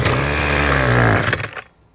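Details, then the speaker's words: Six-year-old Ryobi two-stroke weed whip, reassembled after a no-start, buzzes unevenly with a wavering, sagging pitch and sputters out after about a second and a half; it runs rough, and the owner wonders whether the spark plug or switch is at fault. "All right, well, we've got it together. It does run, but not very well."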